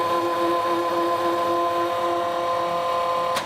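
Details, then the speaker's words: FlexArm tapping arm running a 3/4 inch tap through a plasma-cut plate with less uniform holes; steady mid-pitched motor hum with even tones, no stalls or chatter, then stops; normal tapping operation. "so we got run this three quarter inch tap again but now this is plasma and like you saw the the holes are not quite so uniformed but we'll see here that the Flex arm"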